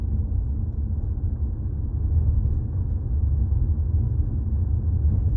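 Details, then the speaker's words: 2018 Jeep Compass after replacing a front sway bar link, driving with the microphone near the floor: only steady low road rumble, no clunks or rattles underneath; the clunk over bumps is fixed. "Doesn't sound like anything's falling off. Nothing rattling underneath."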